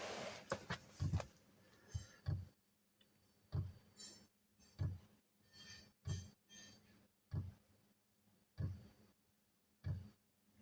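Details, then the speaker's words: Webasto heater in a converted van, at start-up: its small fuel dosing pump makes soft, fairly even clac-clac clicks about every 1.25 seconds, heard in a quiet room. Normal. "Bon, ça fait un petit bruit comme si que ça tapait, quoi. Oui, ça fait un petit clac, clac, clac."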